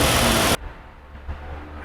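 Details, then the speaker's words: Jeep Grand Cherokee 3.6 V6, engine started after engine mount replacement: loud crank and catch, then settles into a quiet, steady idle with no knocks or clunks; normal idle. "aí ó o motorzão ó V6 Então desse lado esquerdo aqui a gente tem um cabeçote TRS cilindros e desse lado aqui a gente tem outro cabeçote três cilindros aí ó já em funcionamento"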